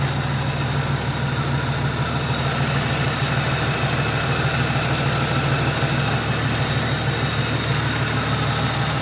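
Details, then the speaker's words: 1998 Jeep Cherokee XJ 4.0 six with a ported and polished 7120 cylinder head and intake manifold, Banks Revolver header and ARP head bolts: even, steady idle with a smooth low hum and no knocks or misses; normal idle. "Like I said, port and polish, cylinder head, port and polish, intake manifold. She runs like a dream."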